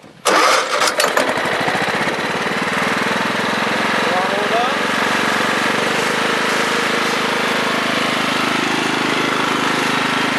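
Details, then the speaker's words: 1996 Craftsman riding mower, 42in deck, 15 horsepower Kohler Command single-cylinder; catches quickly after a brief crank, then settles into a steady, even run with no misfires or knocks; engine runs healthy. "it has a 15 horsepower Coler command seems to run pretty good"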